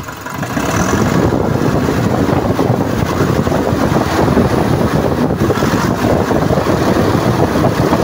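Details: Nissan NV350 diesel after overhaul for a knocking complaint (earlier injector problem, intake manifold cleaned, slight white smoke), first start: steady even diesel clatter at idle, no knock or miss, wind on mic; engine sounds healthy.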